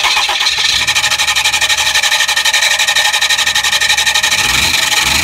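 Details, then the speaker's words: 2012 Ram 3500 6.7 Cummins with 68RFE: harsh rhythmic metallic scraping each revolution; top left adapter plate bolt backed out about a quarter inch hitting torque converter bolts, flexplate slightly warped. "what I have is the adapter plate bolts in the top have backed out and are hitting all the torque converter bolts so here's the sound you'll hear when that occurs"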